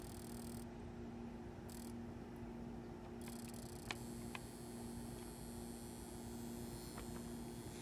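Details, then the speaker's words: Large CFL bulb with an electronic ballast run on a dimmer switch: steady low buzz with a hard hum and faint ticking, making it sound like magnetically ballasted equipment. "oh god i don't know if you can hear that but this thing's making really strange sounds i don't know if you can hear that i have not tried this one in this before oh it's making ticking sound"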